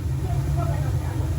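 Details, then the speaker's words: Gas boiler on a no-heat call after relighting the pilot that had gone out: main burner ignites with a steady even low roar, no puffing or surging; firing normally, though it needs a good cleaning. "All right. We got ignition. She needs a cleaning."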